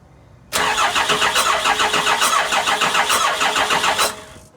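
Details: Cummins diesel with VP44 pump, 199k miles, owner suspecting a fuel problem before cracking the injectors: even rapid cranking about three and a half beats a second for roughly three and a half seconds, never catching; cranks, won't start.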